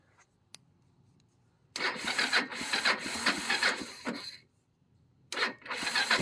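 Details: 1995 Kawasaki Bayou 300 4x4 ATV, just bought used: engine catches, runs roughly about two and a half seconds, dies, fires again; owner suspects low fuel; engine stalling.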